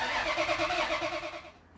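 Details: 1999 Ferrari F355 V8 first start after a top-end rebuild, during timing belt service work, with engine and drivetrain reinstalled. Starter catches and the engine fires with a quick pulsing burst, then drops away; the start sounds clean. Normal engine start.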